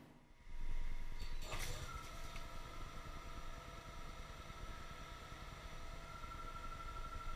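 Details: Silent Tools Plus damped boring bar on an internal turning finishing cut, large nose-radius insert, feed lowered to try to provoke vibration. Steady machining hiss with only a faint thin tone and no loud chatter; the cut stays stable.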